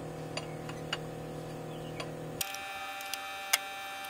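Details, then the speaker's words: Ford F350 6.9L IDI diesel during injection pump replacement: an electric fuel pump runs with a steady hum and light ticking while the lines are bled of air; normal pump operation. "obviously as you can hear i got the an electric fuel pump on here"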